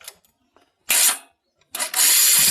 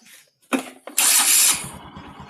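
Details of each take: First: Motorcycle cam chain tensioner (lifter) giving no pressure to the cam chain: engine idles with a light, quick metallic tick-tick rattle over the exhaust beat, sometimes appearing and sometimes not; fixed by adjusting the tensioner. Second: Motorcycle after cam chain tensioner fix (spring retensioned so it presses the cam chain): cranks, fires sharply, settles to even steady idle; earlier tick-tick rattle from slack cam chain gone, engine smoother than before. Normal start and idle.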